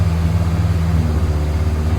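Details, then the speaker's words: 61-year-old one-owner Morris Minor 1000, cold start on choke in neutral: low even idle with smooth steady pulse, no knocks or misses; engine starts and idles healthily. "Hopefully, it should fire up. Oh, nice. At least it's got that going for it. It will actually start up."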